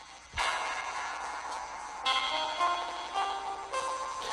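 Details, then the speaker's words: HTC One S phone speaker playing the game Max Payne: fuzzy sound with harsh crackling bursts that stop and restart. The same does not happen on a Galaxy S2. The owner suspects a software issue but also ordered a replacement, thinking the speaker was broken. "definitely not supposed to sound like that. So I sent this one, I had the replacement order on this one because I figured the speaker was broken. It sounds like when you have a broken speaker."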